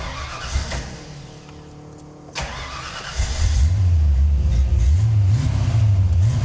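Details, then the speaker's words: Coupe, after fixing a fouled number five cylinder: after a pause the engine fires and settles into a strong, even idle with steady lumpy cam lope, all cylinders pulling. "number five was just fouled out so she's back good I don't know if you guys can hear it or not but you can definitely hear the cam Trot a little better"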